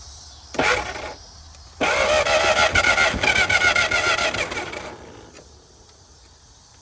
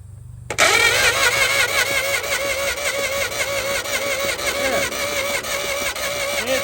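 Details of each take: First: 1950 DeSoto Custom two-door club coupe that has sat since fall 2019, fuel poured down the carb: it bursts into life, sags and stalls, and won't idle without throttle. It seems not to hit on all six; the owner suspects debris on the plug wires. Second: 1950 DeSoto Custom, sat about six years, positive-ground system, original battery cables: starter spins strongly with a steady whirring, even rhythm and clean engagement, no grinding; normal starter cranking.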